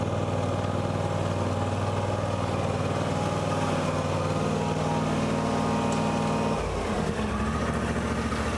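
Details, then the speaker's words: John Deere X350 riding mower, revived after years in storage with a dead battery: steady single-cylinder drone holding speed, then a brief dip and change in note, no knocks. Running healthy; charging later measured at 14.4 V while running. "So, since I have it running right now and the battery was technically dead, I'm going to put my probes on it."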